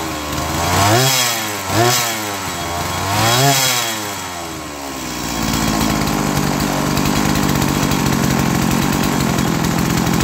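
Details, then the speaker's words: Stihl MS170 chainsaw two-stroke, no-start traced to empty tank, started after external fuel and priming: blips up and down a few times then settles into steady even idle; runs fine. "foreign just needed a little bit more effort put forth and Prime in the fuel system"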